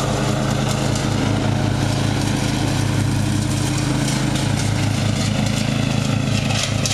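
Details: Murray riding mower, first run of the year after long storage and a mouse nest cleaned out; gas half full and not old, filter unchanged. A steady, even single-cylinder drone with no misses, surges or cutting out; running perfectly.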